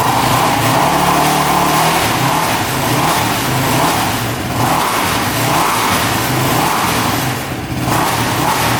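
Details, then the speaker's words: Quad after carb cleaning and valve shimming, accelerator pump confirmed spraying: engine revs up and drops back cleanly with no bogging or misfire; pulls strong, normal running after the fix. "that sounds a lot better lights are working all right seems to be running pretty good A lot better than it was before so I think we got her fixed here"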